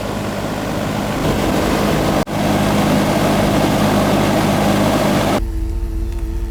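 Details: Outdoor AC condenser unit of a newer system that wasn't cooling; it had been running 30 seconds then shutting down. Here it runs normally: a steady rush of air over a low, even compressor hum, with no rattle or wobble.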